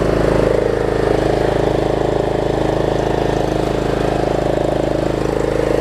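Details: Troy-Bilt Pony riding mower, unidentified small engine (possibly Loncin), after a loose starter-solenoid connection was fixed and a good battery fitted: smooth, even single-cylinder beat at a steady idle, no misses or hunting; runs normally.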